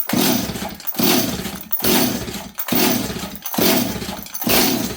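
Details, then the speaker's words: 026 chainsaw, low jet set at one turn: steady pull-starts with a rough whoosh that never fires; engine flooded, spark plug pulled out wet and shiny. "this thing super flooded now here I'll show you guys"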